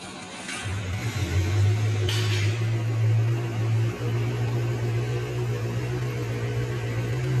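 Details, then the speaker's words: QJMOTOR SRK 600 inline-four after teardown and rebuild (scored camshaft, worn rod bearings, swapped cylinder head), startup in echoing shop: catches and settles into steady even low hum, no knocks or ticks; normal idle. "The echo inside the shop is quite strong, so it sounds a bit loud."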